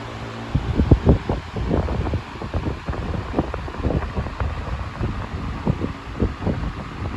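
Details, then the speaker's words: 1998 Patton 20-inch high velocity fan (I-20CA/U220) after cleaning, oiling and reassembly, on low speed: soft steady whoosh with gusty buffeting, no knocking or rattle; gentle but strong airflow, very minimal shaking. "Nice and gentle, but it's still stirring up a huge windstorm in here. Beautifully running fan. Very minimal shaking."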